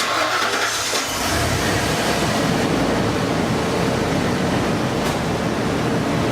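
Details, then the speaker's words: Truck just started after replacing the IAC valve, purge control valve, all three oxygen sensors and the throttle body, with the exhaust dropped for the work: steady, even idle with no misses, knocks or exhaust ticking, no check engine light yet; normal idle. "It's looking all right. I don't see anything that would be you know causing an issue."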